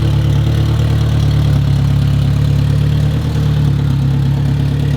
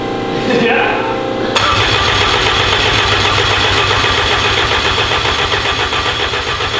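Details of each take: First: Fresh self-built, blueprinted Honda engine built for 1000 hp, first start after nearly a year's build: deep, even, smooth idle, no misses or knocks, good oil pressure, cranks right over; earlier it wasn't firing on cylinder 1. Normal idle. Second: Honda engine built for 1000 hp, first start attempt with oil pressure confirmed: starter spins steadily at about four beats a second but never catches because there is no crank trigger sensor signal; cranks, no start.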